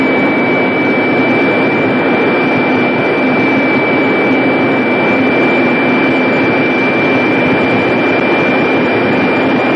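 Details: Jet turbine engine run at maximum power in the shop before a turbine blade lock demonstration. Loud steady roar with a constant high whistle holding pitch, no surging or grinding. Normal running at power.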